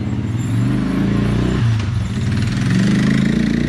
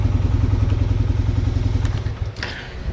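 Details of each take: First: Suzuki Quadrunner LT-F500F (around 2000) single-cylinder quad running on a test tank: it stumbles unevenly at idle with sharp pops and won't rev cleanly; the backfiring traced to a faulty vacuum-actuated fuel petcock starving fuel. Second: 2000-ish Suzuki LTF500F Quadrunner 500 single after capping the carburetor vacuum port to the faulty vacuum petcock, which cured backfiring and not coming off idle: steady even idle about three to four beats a second, then clean shutdown.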